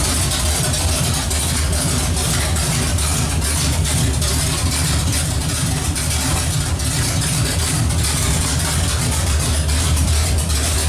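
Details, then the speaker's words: Pontiac 455 V8 running with no exhaust fitted, heat-cycling the engine paint: a loud, steady idle through the open exhaust with no knocks, ticks or stumbles; sounds healthy. "sounds good hopefully your runs as good as it sounds and uh we actually got to quiet it down because we got to put an exhaust on there but other than that smells like it's running good"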